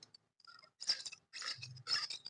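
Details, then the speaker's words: Maruti Omni propshaft universal joint: short dry squeaks and creaks heard when lifting off the accelerator, caused by age-worn, grease-starved needle bearings rusting and binding in the U-joint cross. "ഇങ്ങനെ ഈ ഒരു sound ആയിരിക്കും നമ്മൾ ഓട്ടത്തിൽ കി നല്ലൊരു sound ആയിരിക്കും കേക്കുന്നത് അപ്പോ ഈ സൗണ്ട് വരാനുള്ള കാരണം ഇതിനകത്ത് ഇതിന്റെ കാലപ്പഴക്കം കൊണ്ട് ഇതിനകത്ത് ഗ്രീസും കാര്യങ്ങളും ഒക്കെ പോകുമ്പോൾ ഈ നീഡിൽ തുരുമ്പ് പിടിക്കും."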